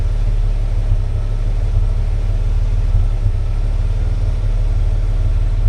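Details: Ford EA Falcon at idle: deep, lumpy petrol idle with an uneven beat and a hint of misfire; the engine runs very rich, cause not found.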